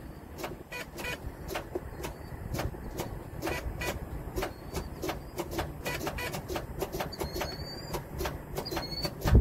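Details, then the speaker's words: 2007 Volvo 780 truck with a Volvo D12: repeated sharp clicks about twice a second with no cranking. Batteries are new and it starts after many key turns, so the recently installed starter is faulty. Starter click, no crank. "you got to click no crank situation and I know I know it's not the batteries cuz the batteries are new as you see you turn the key enough times it'll start so this something faulty in the starter"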